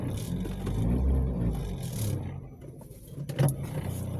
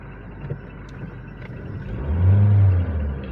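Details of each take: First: Toyota Vios gen 3 single VVT-i bogs and stumbles as the throttle opens, revs dipping unevenly, stalling and backfiring on acceleration; fuel pump ruled out. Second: Toyota Vios gen 3 single VVT-i that stalled, backfired and lacked power on acceleration, road-tested after part replacement: engine pulls cleanly from a low rumble into a smooth rising rev with no pops or stumbles; normal acceleration.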